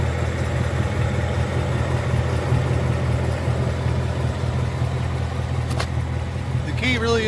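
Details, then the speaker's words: 2022 Mustang GT Coyote V8 idling after adding Liqui Moly Ceratec at an oil change and restarting. The low idle is smooth, steady and even with no tick or tapping, and the "barbecue tick" is gone. "Just you go ahead and start it up, and that tick's gone. 1 second, and I'll restart it. And the tick's gone. No more barbecue tick."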